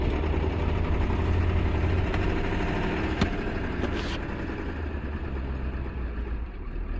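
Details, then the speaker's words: 1999 Ford F-250 7.3 Power Stroke diesel after repairs: low, steady idle around two to three beats a second with no stumbling; engine keeps running normally. "all right so we've been running about 10 minutes now all right so now our ipr is real low which is good our injection pressure is 540 to 550. it's looking good"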